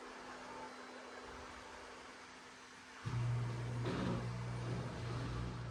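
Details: Asko W2084 washer, complaints of not draining and not advancing to the next step: near silent for three seconds, then the motor kicks in with a steady low hum building smoothly into spin, no knocking or scraping; normal spin.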